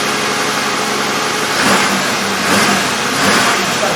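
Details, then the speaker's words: 2003 Chevrolet Impala 3.4L V6 with a flashing engine light and P0300 misfire code: lumpy, shaking idle. Fuel pressure holds about 50–55 psi, so fuel is ruled out; the misfire came from a burned plug wire and tracked plug. "so about 55 pounds just gonna start it up 50 pounds see it's shaking"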